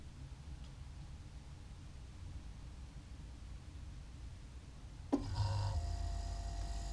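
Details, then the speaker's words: New Everglades compact refrigerator with freezer compartment: soft click, then low steady hum as the compressor starts and settles into a smooth run; normal compressor start. "So it's just now started up. And now it's gonna be running for a few minutes and then you can hear the weird sound of the shutdown."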